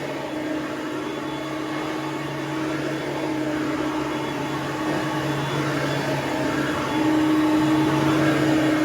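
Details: Hoover Platinum UH30010 upright vacuum after cord replacement and service, running on carpet: steady motor whine with an even whirr, pitch stepping up slightly near the end; smooth and healthy, no rattle or grinding.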